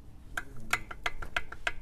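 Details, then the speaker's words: Toyota Avanza engine, removed with head off after overheating: worn piston crown rocked in its bore gives sharp metallic clacks about three per second, loud ringing; piston slap from worn piston, causing clack under acceleration. "Ini agak parah nih. Suaranya nyaring ya, cetak cetang gitu."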